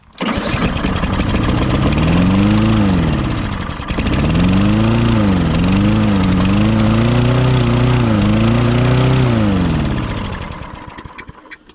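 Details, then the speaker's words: Toro Recycler lawn mower, run on sprayed starting fluid: fires, revs up and surges, dies after a few seconds, then catches again, running a little high; the carburetor is suspected faulty and will be taken apart. "right with my fuel injection it does run so the carburetor is probably all messed up sounds like it was running a little too high well when you spray just this stuff on it it will"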